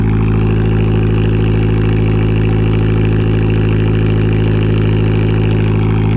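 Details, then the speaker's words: 2012 Fiat Abarth with random misfire, after installing a replacement ECU cloned from the original; steady, even idle with no stumbles or skips; misfire gone and no check engine light. "okay so we did make progress it's not no misfire anymore so that's good that's really good and there's no check engine light"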